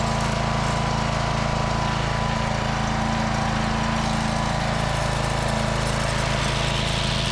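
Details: Walk-behind trimmer mower whose spindle wouldn't engage, after bending the brake lever, cleaning the binding tensioner lever and reinstalling the replaced belt: small single-cylinder engine drones steadily at working speed; running, whether the drive now engages is unknown.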